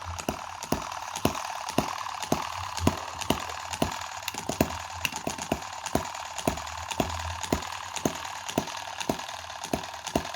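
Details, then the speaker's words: Tiny Chinese M17 4-stroke gas hit-and-miss model engine: regular sharp firing pops about twice a second over a soft mechanical patter. A switch stops the ticking on miss cycles, so it runs quietly. Normal hit-and-miss running. "now how quiet is that because that switch is stopping the tick tick tick tick of the I mean that's look at that isn't that sweet"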